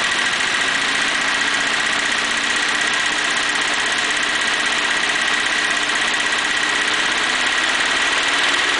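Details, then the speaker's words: 1941 Pontiac engine warming up. When revved, a sticking valve/lifter catches and drops a cylinder, giving a ragged stumble, then it abruptly smooths out again; the valve intermittently hangs open. "if I rev it up it'll drop that uh that valve will catch and it'll you can hear it start hanging up a little bit"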